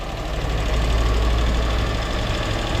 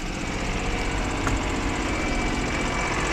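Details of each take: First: холостые кстати неплохие выезжать будем сейчас надо выехать крутануть здесь по гаражам Second: Car that had been sneezing/misfiring, started after standing a day in the rain: cold idle with an uneven, chattering beat that wavers slightly but keeps running, judged more or less acceptable; slightly rough idle.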